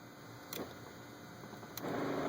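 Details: Methanol injection pump switched on by grounding the boost control solenoid wire; meth flow and flow-sensor signal confirmed on the oscilloscope. Quiet background, then a click and a steady, even electric hum as the pump runs normally.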